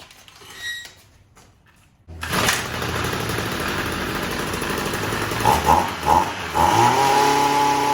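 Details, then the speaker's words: Stihl MM55 Yard Boss two-stroke that backfired and wouldn't start, now with a new ignition coil: it catches and blips up to a steady high buzz, running properly. "Let's give it a try. That was the first pull. That's pretty impressive."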